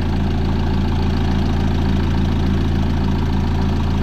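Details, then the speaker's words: 2015 Peugeot Boxer 2.2 HDI diesel campervan, 130,000 on the clock, idling after a DIY timing chain replacement, oil and filter also changed. Steady, even diesel clatter with a smooth, regular beat and no rattle or knock. Normal, healthy idle. "so that's the timing chain completed running well i'm really happy with that"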